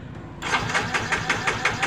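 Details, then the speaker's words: Yamaha Mio J fuel-injected scooter that dies suddenly, with the injector removed to check spray: quick, regular starter chugs of about six a second with no firing. No fuel sprays from the injector holes, it seems slightly clogged, and its socket is found cracked. "oke benar saja di lubang injektor ini tidak mengeluarkan minyak ya tidak ada semburan minyak ya untuk di lubang-lubang injektornya tidak ada semburan minyak sepertinya injektornya ada sedikit tersumbat"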